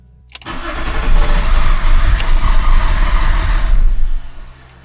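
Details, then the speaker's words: BMW E34 TDS diesel, first service in over ten years, water pump and rollers removed: catches with a rough low clatter, runs about four seconds, then stalls from fuel starvation because the fuel filter was empty. "U: It's running for longer and longer! G: Yeah, because the fuel filter was completely empty and we had nothing to fill it with. The engine has fuel starvation right now"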